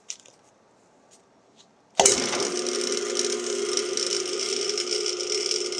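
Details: Rebuilt Dayton single-phase lathe motor with new bearings and start capacitor: kicks in sharply and settles to a smooth, steady hum with a light mechanical whirr; runs even and healthy.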